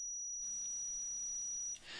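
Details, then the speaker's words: PS3 controller motherboard after reflowing four trace points at the analog stick with a soldering iron: a clean, steady high-pitched multimeter continuity beep over a second long; the repaired connection is good. "If I put one probe there and one probe there. I have no idea if you can hear it, but it's beeping."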